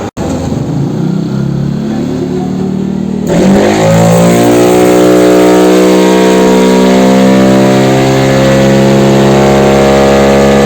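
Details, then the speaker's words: Yamaha NMAX bored up to 180cc with 34mm throttle body and 140 injector, valve clearance recently corrected: clean climbing drone held at full throttle, no misfire; AFR good, healthy normal run. "Jadi, begini, AFR-nya oke. Ini sangat bagus. Menggunakan 140."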